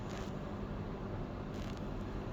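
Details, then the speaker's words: LG washer dryer combo that is not drying clothes, drain pump running during diagnosis before the spin and fan stage; steady even low hum, no rattle or surging; drain pump running normally. "the pump is here, so it's draining well, assuming there's water in the drum. So it will spin as it drains, and then this will start running to supply hot air in the drum."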